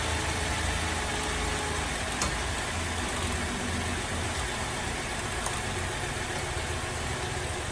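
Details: Holden VZ Adventra Alloytec V6 idling rough, lumpy and stumbling with the odd click before coils are unplugged one by one; misfire later traced to a dead number 5 coil pack.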